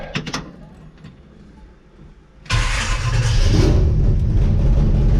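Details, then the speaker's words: 1964 Chevrolet Impala V8 with MegaSquirt engine management cranking and catching into a loud, rough, pulsing rumble, raw chuffing from a bad exhaust leak; still needs tuning. "this is my 1964 impala i'll pull it out and do another walk around but it's got a bad exhaust leak"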